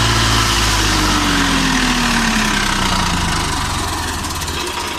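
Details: Tractor 855 FE diesel after replacing a broken rocker bolt with a genuine part (had engine noise and black smoke): smooth, regular beat as revs ease down, no tapping from the valve gear; sounds healthy.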